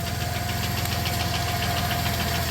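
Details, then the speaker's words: 1993 Plymouth Grand Voyager SE, revived after 18 years sitting, at steady idle with good oil pressure: quick, even top-end ticking on every turn. Owner suspects the cam is getting eaten up; the cause is not confirmed. "oil pressure looks good still making a clicky clacky"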